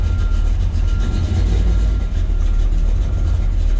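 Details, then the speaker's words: 1969 Chevrolet Chevelle SS, 396 V8 bored .020 over, about 425 hp, solid lifters, roller rockers, chrome headers, cold start: fires right up into a deep, steady cold-idle rumble, even firing, no knocks or misses; runs very well. "Keys here and here it fires right up and 396 420 over 425 horse takes a little while for it to warm up and that runs very well"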